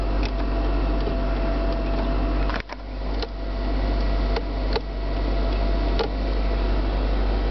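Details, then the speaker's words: Gray 2003 Mitsubishi Galant with about 105,572 miles, just started. Steady blower and compressor hum with a low drone and a few light clicks; the air conditioning works normally. "oh yeah air conditioner works"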